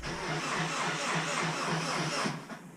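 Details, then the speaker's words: Subaru WRX with a hybrid EJ 2.0/2.5 engine on its first start: about two seconds of even starter cranking, clutch down, before the map is loaded; it turns over freely with no weird compression noises. "okay so just that little bit of did sound decent to me didn't hear anything"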